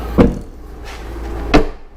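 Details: 2006 Jeep Liberty (KJ) with an intermittently stuck tailgate, final test after the latch parts were refitted and sprayed: two crisp clunks about 1.5 s apart as the latch lets go and the gate swings free; releasing normally.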